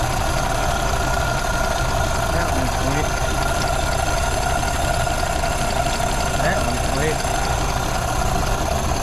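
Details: 1932 Ford Model B five-window coupe warming up after exhaust/intake manifold gasket replacement (cracked exhaust manifold), bolts retorqued: steady, even low idle, no hiss or stumble; no vacuum leaks, running pretty good.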